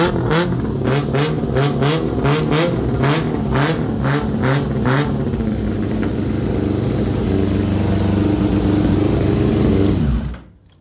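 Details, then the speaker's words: 2000 Yamaha R6 after carburetor cleaning and synchronization, all four carbs aligned, mixture still too rich before leaning: sharp even throttle blips then strong steady high rev, much more aggressive acceleration. Normal revving. "Bueno ya la aceleración es bastante más agresiva"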